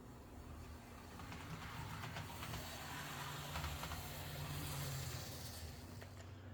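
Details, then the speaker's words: Rebuilt Intermountain F7B model locomotive running in reverse on track after rebuild: steady low motor hum and even drive rumble, no catches or surging; normal running. "Pretty good. He's actually really good now."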